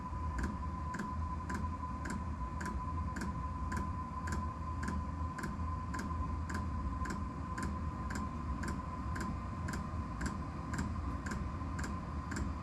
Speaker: I hear that ticking that's the fuel pump pumping so it's gonna get ready to start working